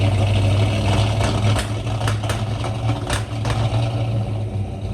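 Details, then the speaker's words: 1963 Ford Galaxie 500, high-compression dual-carb 390 V8, first start in the car: lumpy, stumbling, uneven low-speed beat with sporadic sharp pops; rough running, bad gas suspected since it ran fine on the run stand, not confirmed. "After listening to it run rough and weird, they shut it down. They could only suspect bad gas because the engine ran fine on the run stand previously."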